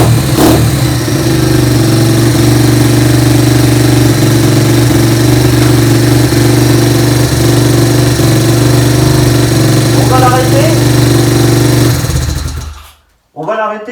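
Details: Nearly new dirt bike single-cylinder at first start after draining storage oil and refilling, new engine running in: steady, even fast idle, no knocks or misses, smooth until shut off; normal idle.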